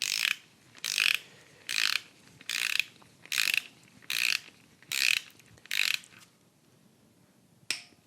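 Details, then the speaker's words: LS1 in a 1967 C10 during camshaft swap, number one cylinder at TDC on compression stroke, rocker bolts torqued to 22 ft-lb on intake and exhaust: seven crisp clicks then one more; torque wrench click at set torque. "so we're at top dead center right now on the compression stroke and I need to torque down the number one cylinder to 22 footb on both the intake and"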